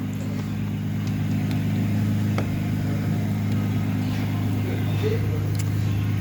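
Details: Flood-damaged Mercedes-Benz C300: the starter spins the engine at a steady pace with no catch or firing; crank, no start, with no fuel pressure from a water-damaged fuel pump control module; water was also found in the oil.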